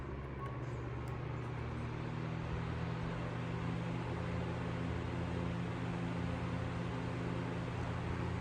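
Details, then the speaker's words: 1955 Emerson 77646SL 12-inch desk fan on high speed, motor cleaned out. A steady low motor hum under an even rush of air with no ticking, rubbing or wobble; a very nice running fan. Normal running. "Again, here's medium speed. There's the motor whine. And high speed."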